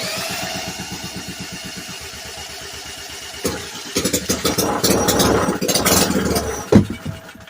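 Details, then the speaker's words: Vintage Briggs & Stratton, thought to be a late-1950s/early-60s one-horsepower, with oil-bath air filter, sitting 10+ years: runs evenly a few seconds on fuel poured into carb, then falters and quits; not picking up fuel, owner suspects cracked pickup tube. "not picking up fuel. It's only running on what I put in there."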